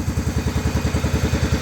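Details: 1994 Cub Cadet 2135 Series 2000 riding mower after carburetor cleaning, first run after 36 years sitting, parking brake set and choke pulled: slow, even thump at low idle with the throttle all the way down, steady and regular.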